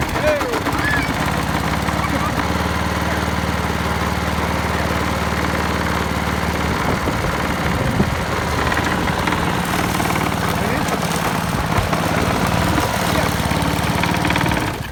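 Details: Old Briggs & Stratton 3.5 Classic mower engine after replacing the rotten primer bubble: small single-cylinder runs with a steady fast even beat at constant speed, then cuts off cleanly; normal running.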